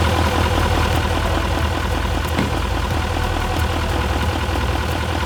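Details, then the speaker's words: 2018 GMC Sierra 3500HD Z71 after a rollover, cold: steady, even raised cold idle with no knocks or ticks. Normal cold idle. "As you can hear, the engine runs clean. Now it's picking it up RPMs because it's cold. So no knocks, no nothing."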